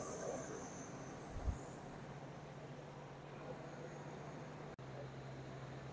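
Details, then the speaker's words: Ford Super Duty 6.8L V10 Triton, fully warmed up idle after spark plug replacement: low steady even hum, no stumble or vibration, no check engine light; running smoothly. "well fully warmed up I don't hear any weirdness no weird vibrations man this motor idols and runs super smooth for being a big old motor it's wild"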